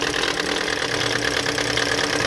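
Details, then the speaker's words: 2013 Toyota Corolla 1.8 16v flex with CNG, automatic, idling with A/C on: loud harsh rattling grind from the accessory belt area, stops when revved; seized alternator overrunning pulley. "ligar o ar aqui ó já fez um barulho lá tipo uma vibração trás l de injeção acesa ouvindo um barulho feio lá"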